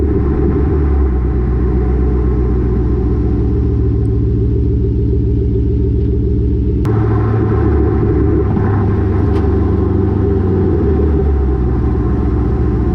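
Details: Exhaust, lowered rear coilovers, previously banging on the rear axle over bumps, fixed with header wrap; GoPro mounted underneath while driving: steady low road rumble, no banging or thudding against the axle, no exhaust rattle.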